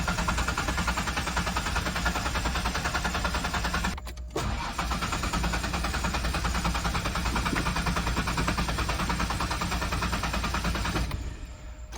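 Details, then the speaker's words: 5-speed manual 4x4 Ford Explorer that sat about three years with bad gas; the engine was just sprayed down. Steady starter cranking, about three turns a second, never catches; owner suspects he got something wet, and the fuel pump sounds strong. "Well, that stinks. I started this thing up 3 or 4 times when I looked at it. Again, I must have got something wet."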